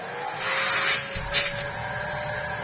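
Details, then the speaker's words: Large Electrolux vacuum with a paper bag fitted, switched on: a high, airy motor whine that rises, then shifts pitch as the airflow is blocked and released. Suction is still strong and healthy. "If we just quickly turn the machine on, I can show you just how much lovely airflow it still has."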